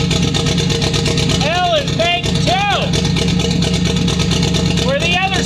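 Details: Subaru WRX boxer idling after a mechanic's head gasket job with a part forced on reassembly: uneven stumbling beat about three pulses a second; misfire from cam timing jumped on a broken crank sprocket.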